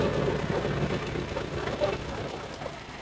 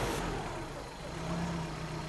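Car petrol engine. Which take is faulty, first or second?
second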